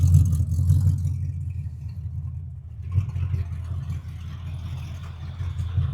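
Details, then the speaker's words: 1942 Ford Jailbar pickup with a 5-litre 302 EFI V8 from an AU Falcon, twin 3-inch exhaust with two mufflers ending after the diff, after sitting with an 11.4 V battery: a deep, even loping idle with no knocks; running well. "Yeah, she's running pretty damn good, I must say."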